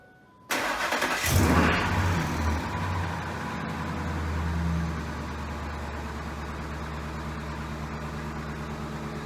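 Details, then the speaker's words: 268k-mile 2002 F150 V8 with high oil consumption, cold start before using Restore and Protect oil: it cranks and catches into a cold idle with a light quick knocking patter. The piston slap quickly fades as the engine warms. "You can clearly hear the piston slap quickly reduce as the engine warms."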